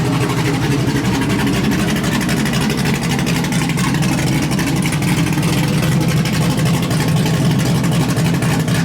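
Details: LS1-swapped Hyundai Genesis Coupe with a refreshed engine on a base tune, first runs after a hard start-up: deep, steady V8 rumble with a loose, choppy lope through a short open exhaust, even with no knock or miss. A temperature issue is noted.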